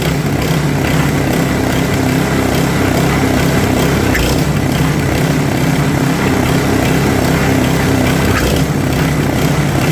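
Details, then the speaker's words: Snowblower after fix for auger not engaging or throwing snow, freeplay adjusted: loud, steady engine drone with the auger turning, speed holding under load without slipping squeal; running properly, oil change still planned. "And as you can hear, runs quite well, but I am going to service it, drain the oil, put fresh oil in it as well."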